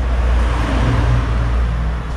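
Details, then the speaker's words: Samsung inverter refrigerator with R600a, being recharged: loud, steady low hum, no knocking, as the inverter compressor runs hard at high speed with amperage rising while chasing temperature; normal. "hai oke sekarang terdengar suara kompresor putarannya sudah mulai kencang dengan ampere ditandai akhirnya naik"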